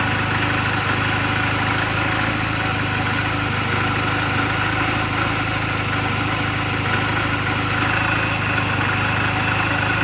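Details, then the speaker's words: 2007 Honda Rebel 250 idling in neutral just after an oil change and valve clearance adjustment: an even low putter with no top-end ticking or tapping, so the valves sound properly adjusted. The charging voltage reads about 13.0–13.4 V. A normal, healthy idle. "what the motorcycle should sound like on what the valve should sound like to make sure you don't hear any it sounds like this this motorcycle is running perfectly I just now changed the oil did the valve clearances"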